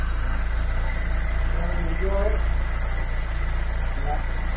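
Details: 1972 Mk3 Ford Cortina GXL after a tune-up, with the idle just adjusted a little by screwdriver: an even, steady idle at about four beats per second with no misses, hunting or knocks. The idle is set right.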